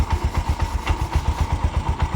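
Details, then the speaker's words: Bajaj BS4 engine, rebuilt about four months earlier with a new bore. Steady, even idle thump with no knocks or rattles, only frame vibration. A suspected connecting-rod noise only occurs off idle under light throttle. "Correct sound ಇದೆ bore ಹೊಸದು ಹಾಕಿಬಿಟ್ಟಿದೀನಿ"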